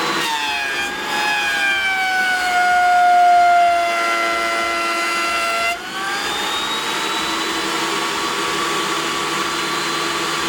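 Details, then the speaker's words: DeWalt 735 planer fitted with a spiral (helical) cutterhead, taking a decent cut: steady high cutter whine with even tones, no thumps or chatter; runs exceptionally smooth. "this one or the DeWalt runs exceptionally smooth even when doing a decent cut"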